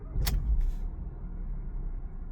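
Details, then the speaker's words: 2018 Ford Fiesta after right engine mount replacement, cold start about two minutes in: brief starter burst, then a steady, even low rumble with no thumps or knocks; normal cold start, though a separate hollow clunk remains. "And turning it on is effortless. And this is cold start. We don't even have Literally just started the car like 2 minutes ago."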